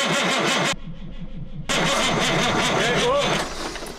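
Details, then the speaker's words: CAT 3406B in a Kenworth K100 cabover that has not run in 25 years cranks in a steady rapid rhythm, pauses and cranks again without starting; the mechanic suspects no 12 volts reaching the rear and plans to hot-wire it. "i don't think i'm getting 12 volts back there so i'm just gonna hot wire that real quick"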